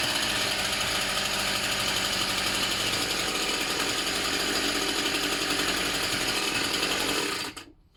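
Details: Tanaka THT 210B hedge cutter two-stroke after a carburettor strip and clean, diaphragms checked; it was slow to start on choke. Now a high, even buzz holding steady without stumbling or surging, then a clean cut-out; normal running.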